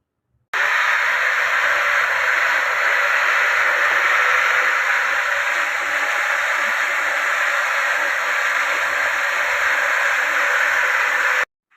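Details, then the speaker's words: LEO water pump running with excessive loud, steady hissing rush, no knock or rhythm; current draw measured about 3.6 A versus roughly 5 A expected, bearings reportedly fine, cause not yet found; motor to be separated from pump and tested alone. "শব্দটা অনেক বেশিই দেখতেছি।"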